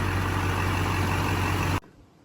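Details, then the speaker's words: 2001 Chevy Silverado 2500HD 6.6L Duramax LB7 after replacing both crank and cam sensors and clearing codes: fires right up into a steady, even diesel idle with a low hum, no misses or knocks, healthy. "Alrighty, we started up. Just purring like a kitten. Fired right up, guys."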